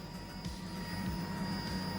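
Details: Nissan S13 240SX with Stu Kelly Motorsports fuel hanger, Walbro 450 pump rewired on a 30-amp relay, key on: thin high whine switches on and holds steady, no rattle or surging, no leaks; pump running normally.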